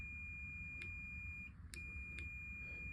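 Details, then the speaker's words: Topro Taurus E walker with a Concens C3 actuator controller. At the end of height travel, a steady high beep of about 1.5 seconds repeats after a brief gap. The controller locks the actuator: it moves only the other way, or gets stuck both ways. "you are able to pull it up, but not down again. It will just beep. And it does the same if it comes to the top."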